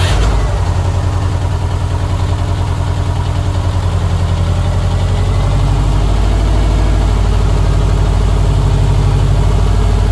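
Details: 2006 Subaru STI first start after installing a complete new fuel setup (top-feed conversion kit, ID1050X injectors) and a new turbo inlet: a deep, even flat-four burble catches cleanly and settles into a steady idle with no misses or knocks, running healthy.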